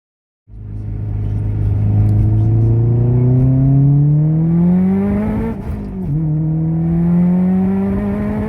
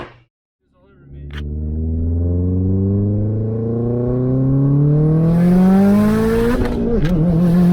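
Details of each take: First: Subaru, turbocharged, on hard pulls under high boost; the revs climb but dip and bounce repeatedly as the spark is blown out, blamed on too wide a plug gap or worn plugs. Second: Subaru wagon under boost after replacing fuel pump, fuel filter, and coils/plugs to cure fuel pump cavitation and spark blowout misfire; full-throttle dyno-style pull climbs smoothly without stumbles or cut-outs, then lifts off; pulling cleanly.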